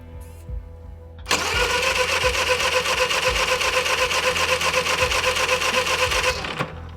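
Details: Honda EU3000IS/EU30IS generator with newly installed wireless remote, started via remote button holding choke: brief crank, then it catches at once into a steady, even buzzing run; starts cleanly.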